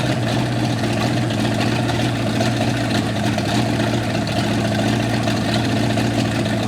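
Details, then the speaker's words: 1955 Chevy V8 stored 20 years, rerun on brake cleaner in the carburetor after it began pumping out dirty old fuel: steady, even, smooth low rumble, no stumble or knock. "well hot dog it was starting to pump a little crap out of there let's do that again all right again again"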